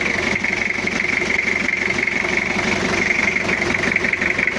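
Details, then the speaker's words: Toyota Kijang diesel, cold, after cylinder head work for coolant overflowing into the reservoir. Rough idle with an uneven, dry clatter and a steady hiss on top; injection not yet set. "sudah hidup ya Lur tapi suaranya itu masih agak kasar ini belum kita setting"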